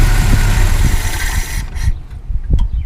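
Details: Mazda B2000 truck idling after replacing a worn, leaking gasket, checked for leaks: deep, even rumble at low idle with no knocks or misfires; normal idle, leak fixed.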